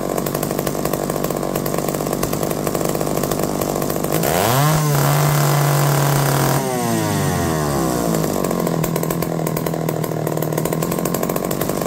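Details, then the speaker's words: McCulloch D44 two-stroke chainsaw, revived after 15 years: uneven buzz revving up then dropping away with ragged stumbles under resistance despite hot spark by hand; owner suspects coil, not confirmed. "we' got hot spark hits by hand but when trying to run under resistance like I said it's going to try to do whatever it wants"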